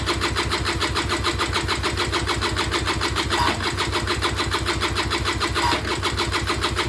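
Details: Peugeot Speedfight 2 100cc two-stroke scooter with Leo Vinci exhaust, bought unseen at auction, first start attempt: steady starter churning about two strokes a second, never fires; spark confirmed, carb fill uncertain, cause not yet found.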